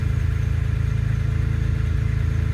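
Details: BMW E30 M3 with S54 swap, with fuel pump relay manually grounded after finding it ungrounded: steady low, even idle with regular pulse and no misses or stumbles; normal idle.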